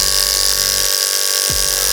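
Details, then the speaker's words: Hair clipper with a freshly block-sharpened, perfectly flat blade, oiled with clipper blade oil, cutting a chunk of wig hair: steady high motor buzz sags and drops in pitch as it bites, then recovers; blade drags but still cuts. "So you can hear it. Hear it slow down. But it is cutting it."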